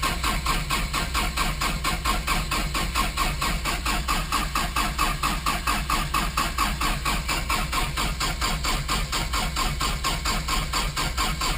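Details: Rebuilt 4-cylinder non-turbo engine, first start after rebuild, in neutral with fuel pressure up; two cylinders read compression above the 170 spec: steady even cranking chuffs, about five a second, never catching; no-start, distributor timing suspected.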